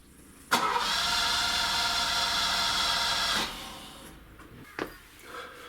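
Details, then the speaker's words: Ferrari 308 GTS bought at auction as a non-runner, carb issue reportedly mentioned: about three seconds of starter whirring that never catches; cranks but won't start. "but before that I think we need to address the issue of the non starting"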